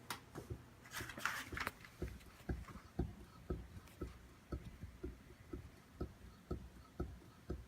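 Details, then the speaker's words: Dodge Magnum rear suspension, car rocked by pushing on the body with door open: dull knocks twice a second with each push; owner 95% sure the clunk comes from the rear upper shock mount flange. "I can feel that the that that clunking is coming from this flange this upper mount right here"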